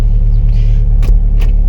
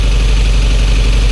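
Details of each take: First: 1988 Jeep Comanche, Renix 2.5L I4, AX-4 4-speed, after fouled spark plug replaced: deep even rumble swelling and holding under throttle, no stumble or popping; pulling cleanly, back in business. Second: 1988 Jeep Comanche Renix 2.5L I4, AX-4, after replacing a fouled spark plug: deep, uneven, lumpy, loping idle that still runs rough; suspected low compression in one cylinder.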